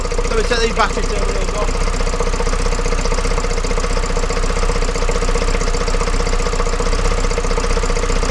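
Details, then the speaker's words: Vauxhall Vivaro 2.0 diesel van, first start after injector replaced and coded, jump-started: loud busy clatter from top of engine because breathers and top fittings are still off; fitting them should quieten it. "back that noise you can hear is the top of the things are missing the Breeders are missing on here"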